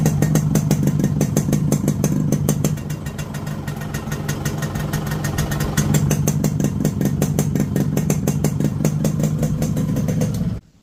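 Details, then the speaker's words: Fully restored two-stroke motorcycle after clutch work: steady, even idle with regular firing pulses and no knock or rattle from the clutch side; engine sounds healthy, normal idle after restoration. "So இன்ஜினோட noise கேட்டிருப்பீங்க."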